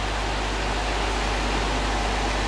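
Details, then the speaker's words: Electric motor test run after bearing replacement, fan fitted but cover off: steady even hum and loud fan rush with no rumble, ticking or grinding; no bearing noise at all, far quieter than the old bearings, a successful repair. "Well, the fan is making a lot of sound. But there is absolutely no bearing sound now. Compared to the old bearings, this is extremely silent."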